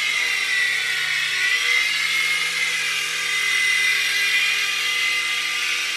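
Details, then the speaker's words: U809 Air Attack toy helicopter after new LiPo and super-gluing slipping pinion gears onto motor shafts: high even buzzing whine from the little motors, steady pitch, no clicks or skipping; flying normally. "wow success we've got a working helicopter I better put the rockets in it"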